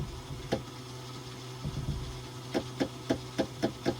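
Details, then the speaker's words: Yamaha jet ski left sitting at a river dock with a very bad battery: a few sharp clicks, then evenly spaced clunks as the starter catches briefly and drops out every few pushes; engine seizure suspected, later found a bad starter. "You hear the starter wanting to click a little bit every third or fourth push."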